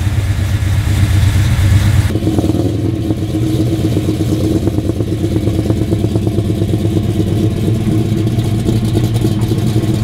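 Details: Pontiac GTO on a test drive after HEI distributor diagnosis for an autocross misfire, rear-mounted camera mic, aiming past 3,500 rpm: deep steady V8 rumble pulling cleanly and evenly with no misses, pops or stumbles; ignition running healthy.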